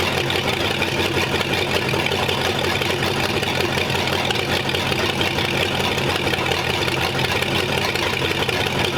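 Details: Old engine first run after good compression test: steady even running, smooth low beat, no knocks or rattles; 35 psi oil pressure, sounds healthy.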